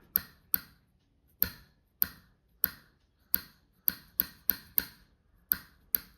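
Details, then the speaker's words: Throttle plate stop screw being tightened: sharp crisp clicks as the throttle stopper snaps back onto the screw; click sound distinguishes a loose screw from one correctly adjusted to touch the stopper. "This can also be differentiated based on the sound it produces when the stopper hits the screw."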